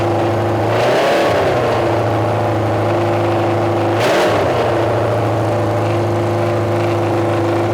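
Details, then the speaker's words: Junkyard Honda CB750F four-cylinder that sat for decades, running again: steady, lively idle with two crisp rev blips climbing and dropping cleanly; running strong, very loud exhaust. Starter clutch still needs addressing. "wow that's loud I will take it man who knows the last time this thing ran pulled out of Archway just an absolute wreck of a state and now we got it just absolutely blasting decb out the back"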